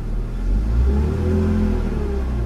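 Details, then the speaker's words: BMW Z4 after intake tube/boot replacement, accelerating: the engine revs up smoothly with a clean rising note, and the earlier turbo-like whistling is gone; sounds normal. "don't hear that noise anymore that turbo noise that whistling it sounds normal which is perfect guys"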